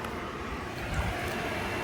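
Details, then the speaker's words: 2004 Yamaha YFZ450 after carburetor cleaning and new ignition, warm idle steady with even rushing whoosh as radiator fan cuts in then off; fan, thermostat and temp sensor working, normal cooling fan operation. "The fan just kicked on. So, we know that works. Uh, starts right up. Yeah, fan just kicked off. So, that's good. The fan is working."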